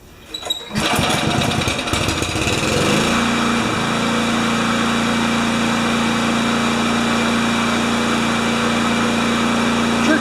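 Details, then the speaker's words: Craftsman mower with a Kohler engine, hard to start, throttle held with a tie wrap: brief cranking, then a steady, even high-pitched run with no misfire or surging. Normal idle. "Sure did take a lot to get it going on. Right now the engine's turned on and it's being held there with a tie wrap."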